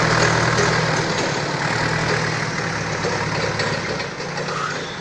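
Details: Balkancar diesel forklift after repair, with engine, clutch, brakes and running gear overhauled. Regular diesel chatter at a steady idle, fading slightly at the end, with an even beat and no knocking; it runs healthy.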